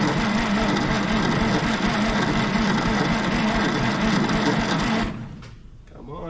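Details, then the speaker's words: 1960s Galion grader being restored, cranked via bypass solenoid contact: loud, sluggish churning about three to four turns a second for five seconds, no start; always cranked slowly, owner suspects starter needs rebuilding and spark issue (weak spark), unconfirmed. "bypass the key i'm glad i got this bypass solenoid contact it never did crank real fast before"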